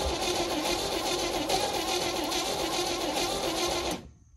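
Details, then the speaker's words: 1971 International truck with worn rings and heavy blowby, cranked on ether: fast uneven starter chatter, one plug fires briefly, won't catch; owner suspects timing chain jumped a tooth, crank no start with brief firing. "we did get one plug to fire there a little okay not good so far more troubleshooting"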